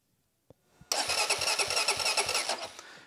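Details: 2007 Honda TRX400X ATV, starter solenoid tested by jumping the yellow/red-stripe wire to positive: a click, then strong steady starter whir with even cranking beats about three a second; solenoid and starter work fine.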